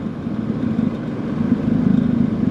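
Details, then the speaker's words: Kenmore (Whirlpool) 10k medium-chassis window air conditioner fan running: rough fluttering low hum with rapid uneven buzzing pulses; fan motor badly needs thrust washers, worn washers letting shaft rattle end to end. "So you can hear this thing needs thrust washers like really bad,"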